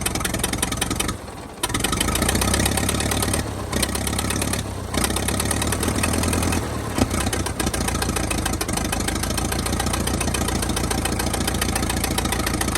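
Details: 1922 International truck, sat 30+ years, now running with a dragging starter: after a few stumbles it settles into an even, steady lumpy idle with no knocking; not yet warm. Runs fine, though it is spitting oil from the oil pan.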